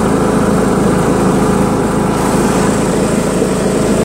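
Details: John Deere L100 lawn tractor with Briggs 1742 engine, driven around the block with the mower deck installed. A steady, even buzz under way with no knocks or misses, then a clean shutoff. It starts easily, runs great and barely vibrates.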